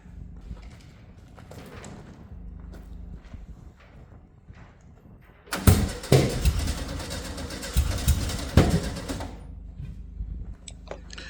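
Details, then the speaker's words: 1971 VW Beetle air-cooled engine, long-stored restoration project. The starter churns about four seconds with uneven puffs and it nearly starts but won't catch. Fuel delivery to the carburetor is suspected and is being checked. "annoyingly it did nearly start so what I'm doing here is I'm doing something diagnostic I'm putting the fuel line that should go into the carburetor into that white plastic bottle to see if any fuel comes out"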